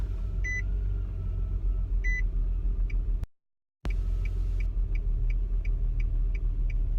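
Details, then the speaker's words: 2002 Nissan Altima 3.5 V6, one ignition coil already replaced, stutters on hard acceleration: low rumble with an uneven, puttering pulse and chime beeps; rough idle, cause unclear. "And then I'll just put it in drive here, and I'll just drift. And as I'm just drifting, I haven't given it gas yet. As I'm just drifting, the whole car is shaking."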